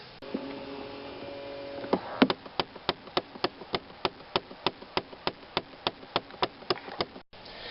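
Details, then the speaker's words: 2008 Chevy Impala: steady sharp knocking under the dash, about three knocks a second, from a failing blend door actuator behind the glove box; fixed by replacing the actuator. "well on this car whenever the actuator goes bad it makes a horrendous knocking noise"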